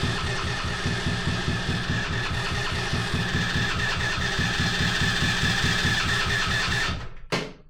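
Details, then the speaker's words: 125cc drift trike engine, forklift-damaged, with battery booster on: fast even cranking with regular compression beats for seven seconds, no firing; spark is good but no fuel arrives, and the owners suspect a clogged carburetor. "I expected it to run, but not... oh, there's no fuel. No. Oh, maybe the carburetor is clogged up."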